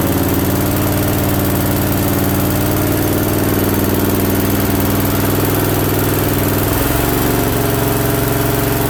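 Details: Briggs & Stratton Vanguard V-twin with newly installed oil cooler, at first start on a battery charged overnight. Steady, even V-twin beat with a smooth low thrum and a slight settle partway through; sounds real healthy, normal running.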